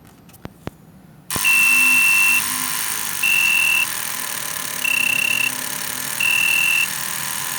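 After a click, a high buzzer sounds in roughly one-second bursts about every 1.4 seconds over a hiss, which is the generator's battery fault alarm.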